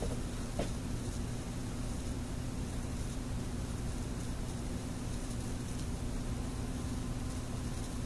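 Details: OTL amplifier with 6C33 tubes at first successful startup after bias adjustment: constant low mains hum under steady hiss with faint occasional crackle, and one tube identified as noisy; cause unconfirmed; amplifier hum and noise.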